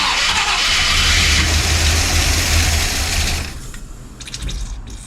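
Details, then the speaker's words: 1966 Ford Country Sedan big-block FE just fitted with a big cam and solid lifters, distributor stabbed in with ignition timing unknown: a loud, uneven, lumpy beat about three to four a second. It runs rough, and wrong timing is suspected. "Still not running great. Although uh time I don't know what it's timed at. That could be why."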